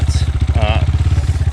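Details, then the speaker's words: Moto Pro RF250 single-cylinder dirt bike: slow, uneven thump around fifteen beats a second, faltering as if wanting to die out; engine stumbling near stall, cause unclear. "all right she's still purring but you can hear she sounds like she's uh wanting to die out"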